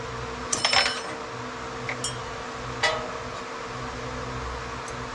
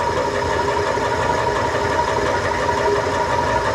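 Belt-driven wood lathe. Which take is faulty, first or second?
second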